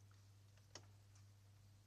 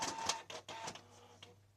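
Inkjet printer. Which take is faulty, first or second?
second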